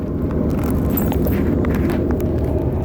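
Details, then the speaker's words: 1987 Fleetwood Bounder 31ft Class A motorhome, sat two years with gas drained, on stands, cold at about 40 degrees after a night in the 20s: deep even V8 rumble settling to a steady idle, no knocks or misses, normal idle. "it's alive I can't move it because I'm on stands and I have an idiot's antenna tied to the ladder but it runs"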